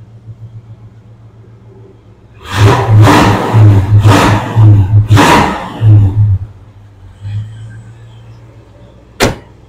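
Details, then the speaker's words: 1967 Dodge Coronet, 318 V8 with Holley Sniper fuel injection, automatic, stainless dual exhaust, heard from the rear: several quick throttle blips, and the deep rumble rises cleanly and drops straight back to a steady idle. Normal free revs. "And let's circle back here so you can hear the exhaust note on her. Does have dual exhaust."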